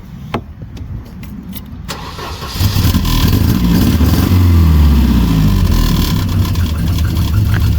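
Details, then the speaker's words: Volvo 240 with a blown red block engine that has piston slap, heavy blow-by and oil burning past the rings. After a few clicks it catches, then revs unevenly with a lumpy low beat, struggling to stay running. "because yes it does run and drive now even with the uh blown engine still a red block I just need to get it to stay running"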